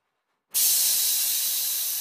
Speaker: After releasing the trigger, you'll hear a hissing sound produced by the release of excess pressure from the water bowl. This is normal.